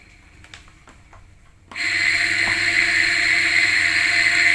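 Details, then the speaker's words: Washing machine motor running unloaded; silence, then it spins up to a steady high whine with a gritty hiss; the rough sound likely comes from dirty bearing grease, so the motor must be taken apart to replace the bearing or relubricate it. "Jadi terdengar suaranya agak kasar memang harus di bongkar."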